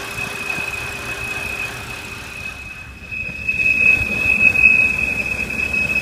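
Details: 2007 BMW 328i automatic: thin steady high whistle over road noise while decelerating, changing pitch with speed; suspected vacuum leak from a cracked valve cover or gasket, not confirmed.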